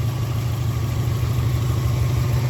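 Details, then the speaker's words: 2011 WRX after a JDM engine swap with fresh oil and filter: a steady, even boxer idle with no knocks or misses, with a happy response after the throttle pulls. No codes or check engine light. "You can hear it starts right up. First turn, no codes, no check engine light."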